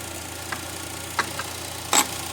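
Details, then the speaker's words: Car with ABS, traction and brake warning lights on, tested by disconnecting the negative battery terminal with the engine running: a quiet, steady idle that keeps running, so the alternator is charging. "okay here I am again the same negative the engine is running as you can hear it I'm going to disconnect"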